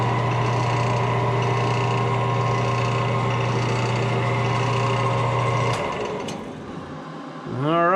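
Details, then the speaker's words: Woodturning lathe, first run with a brand new steady rest on a maple burl goblet: smooth, constant low hum, then an even spin-down with no rattle or wobble. Normal running. "run seems to be okay. Hopefully we can get this guy hauled out and bring this project to completion."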